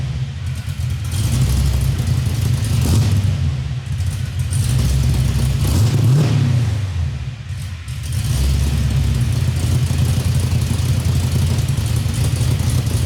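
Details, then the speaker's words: 1973 Chevrolet Nova with LS V8 swap, driveshaft just installed, first run under own power, indoors because of rain; deep lumpy choppy V8 idle with a few light throttle blips and strong low rumble; healthy cammed idle. "I hear your radio that says chop, chop, chop, chop, chop."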